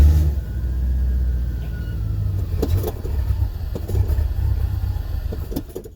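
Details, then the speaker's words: 1985 Chevrolet C4 Corvette with only about 10 psi fuel pressure: catches with a deep rumble, runs rough and sags a few seconds, then dies; stalling after start from low fuel pressure, fuel pump or fuel filter suspected. "i think what was i getting before maybe 10 psi and it would just start and die and give me give me fits"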